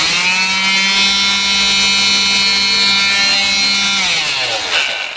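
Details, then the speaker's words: Black and Decker orbital palm sander after repair, with a cracked switch boot removed and a couple of joints soldered to fix bad wiring: strong, steady high-pitched whir at constant speed, winding down smoothly at switch-off; normal running with no burning smell. "Now you can see that sounds pretty darn strong for such an old tool that's been beat up and used and abused and still works."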